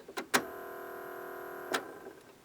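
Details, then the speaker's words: 1991 Realistic Clarinette 125 stereo, Mitsumi cassette deck motor running with no belts attached, steady buzzy whine, noisier than it should be; oiled, only slightly quieter afterward. "the cassette deck motor was made by Mitsumi and I also want to oil it because with no belts attached to it you can hear how noisy it is"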